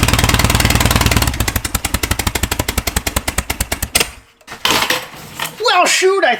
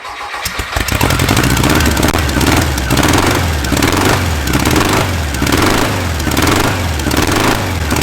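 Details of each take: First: Air-cooled VW flat-four bare engine on a starter stand, no proper exhaust: loud, fast, uneven firing that dies after a few seconds; fires up half decent but rough, ignition timing needs dialing in. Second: Air-cooled VW flat-four on a starter stand after resetting carb bypass and volume screws to 2.5 turns out: catches after brief crank, settles into steady even idle with gentle slow swell; runs healthy.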